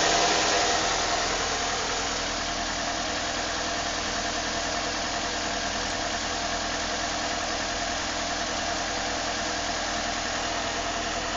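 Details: 2006 Nissan Altima 2.5 S at idle: light, fairly regular tapping knock about three or four times a second over a hissy background; owner unsure of the cause.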